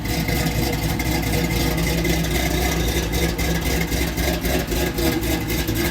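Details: LS-swapped Oldsmobile Cutlass, fuel injected, in for a no-start, after cold air intake work: loud, steady V8 rumble swelling and easing as it's blipped, no misses or knocks; runs clean again.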